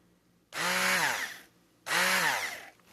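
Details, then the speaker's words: Braun hand mixer, nominally 200 W, thought less worn than the compared Cuisinart: two short motor bursts, each whirring up to speed then winding down with an even, steady hum. Normal hand mixer running. "Let's listen to the brown one, which is uh is not necessarily newer, but I think it has less wear on it. So, it's a different uh different sound."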